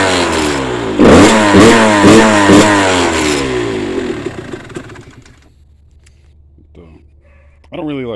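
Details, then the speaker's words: Yamaha YZ125 two-stroke, couple of hours on it, after draining water from carb following a no-start: crisp ring-ding revs, four quick blips, then left to wind down and die; runs despite water in the fuel. "that's it got it running all the way with water in the fuel"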